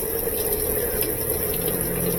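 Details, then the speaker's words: Steady rushing water with constant hiss, no chatter or buzzing: GE washing machine under warranty; both cold and hot inlet valves confirmed working, filling tub normally ahead of drain pump test. "so both of the water valves are working we're just going to put some water in it"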